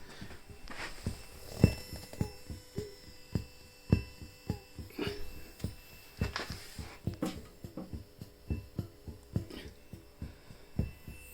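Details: Behringer Murf box, volume full, guitar plugged in, two power supplies tried: soft thumps in time with the step pattern bleeding into output even with output turned down; owner suspects noisy internal clock or faulty unit.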